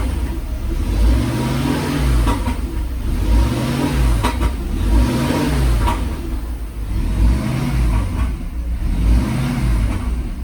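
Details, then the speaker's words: Mercedes SL500 with Sea Foam added, light throttle then none; revs rise and fall with rough rumble, shaking, popping seemingly from front of engine; owner suspects possible exhaust leak, unconfirmed; popping while revving. "Sounds like it's popping from like the front of the engine. I need to like look and see if there is an exhaust leak or something."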